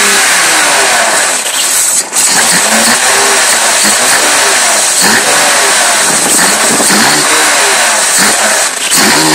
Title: M3 evo e36 rough idle